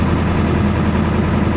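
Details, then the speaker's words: Ford F-250/F-350 7.3L Power Stroke diesel, about 26 years old, smoking and showing no oil pressure: loud, lumpy idle with an uneven stumbling beat, missing badly; injectors suspected, possibly not getting oil. "Sounds like the injectors are not good. They're missing pretty bad."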